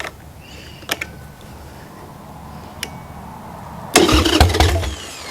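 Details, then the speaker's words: Wrecked 1996 Harley-Davidson Sportster 1200, garage-stored years, on starting fluid: quiet cranking with clicks, then a ragged second of firing that dies; not getting fuel. "Okay. We got power. It's turning over. She's firing. We are getting there."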